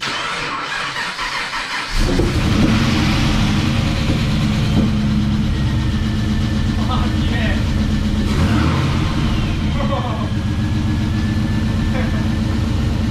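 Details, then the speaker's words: Nissan Patrol with L98 V8 swap, first start after 1.5 years of build: catches after about two seconds and settles into a deep, steady idle with even firing and no knocks; sounds absolutely amazing, healthy engine. "It starts, it sounds absolutely amazing. I cannot believe that."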